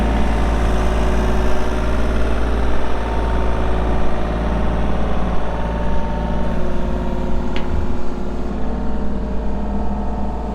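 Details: 2019 Kubota U35-4 excavator diesel, 780 hours, idling: deep, steady, even low rumble with no knocks, rattles or misses; engine sounds healthy.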